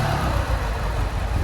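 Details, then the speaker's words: Lancia Delta HF Integrale, sat about 20 years and unstarted over six, after fuel system overhaul, new fuel pump, four new injectors and fresh fuel, warmed up: deep even engine drone with steady beat, no knocks, ticks or misfires; runs sweet. "and it runs sweet there's something that's sat for so long it's actually pretty good"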